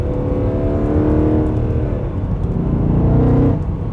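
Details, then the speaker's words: Freshly rebuilt Mercedes C63 AMG (pre-facelift), freshly serviced 7-speed torque-converter automatic, accelerating on winding back roads; engine note climbs and drops cleanly at each upshift, no slip or flare; shifting crisply. "I love this yes transmission is awesome it puts you right in the gear you need to be in"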